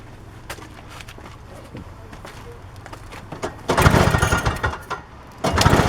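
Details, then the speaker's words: Toro CCR 2450/3650 two-stroke snowblower, after carburetor cleaning and replacing a bad gas/oil mix, off choke: steady buzz at full throttle with some handling noise over it; it runs cleanly without shutting off. "yeah now it's running on full doesn't shut off no more all that's it all right it's running good now"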